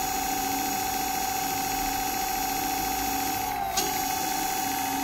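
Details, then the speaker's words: Dual Moto electric scooter wheel after replacing 6003 and 6202 bearings: smooth steady motor hum, free spin without grinding or rumble, sounds like new; normal wheel spin. "so two pairs of bearings made this scooter sound like new that's how important they are"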